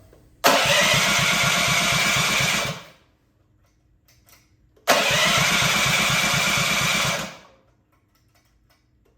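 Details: Honda GX200 clone single-cylinder engine clamped to a table stand, choke on, first start after build; fires twice, runs ragged for about two seconds and cuts out, lean and starved; needs rejetting.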